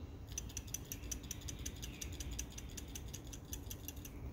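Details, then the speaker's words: 2006 Honda Pilot 3.5 L V6: a new OE Honda PCV valve shaken by hand gives crisp, light metallic clicks about five per second as it moves freely, so it is good. The clogged old valve was causing oil leaks. "hear that noise that's the valve moving back and forth freely so that one's good"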